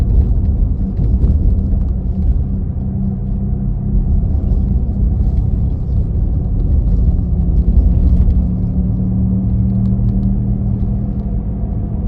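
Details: 2017 Nissan Leaf: deep, steady engine-like droning rumble from the rear while driving, swelling and fading with road speed, loudest at 40-50 km/h but present at other speeds; owner unsure of cause or whether normal.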